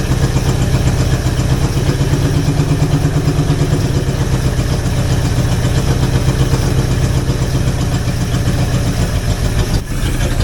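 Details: Jeep FSJ/SJ Cherokee engine after distributor repositioning, choke partly off, with a poor aftermarket carburetor: low, uneven idle that wanders and stumbles before running out of fuel; no knocks or smoke noted; carburetor replacement planned.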